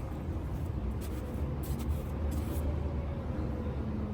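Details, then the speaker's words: Trailer wheel with Kaufman EZ4 grease fittings spun off the ground after greasing: a quiet, even hum with faint ticks and no grinding, so the bearing is healthy. "I'm I'm listening to the bearings what they sound like see that sounds really good if you hear a Grime noise that's because you got a you don't have enough grease in there"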